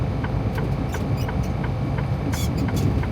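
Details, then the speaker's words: Semi truck making a low-speed left turn at a light: low rumble with a short high squeak repeating about twice a second; source not pinned down. "All right, y'all get ready for the squeaky squeak, because again, I never hear the shit until I start recording when everything's quiet."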